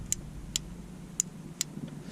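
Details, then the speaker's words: 12V Shurflo water pump mounted under a Sprinter van, pressure switch jammed by dust, freed and sealed; crisp clicks as the switch now clicks on and off, pump stopping at pressure; pressure switch cycling normally after fix. "and now i am getting voltage so the pump should be on now and when the pressure builds up it switches and turns off on off"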